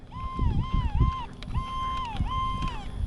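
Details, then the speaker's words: Rlaarlo X12S RC buggy after a 73.3 mph speed pass: high electric whine climbing and falling in quick bursts as throttle is blipped, motor spinning freely with no load because the pinion stripped off despite Loctite. "I knew I knew it let go. I heard it. I heard the RPM just go berserk when it went by us."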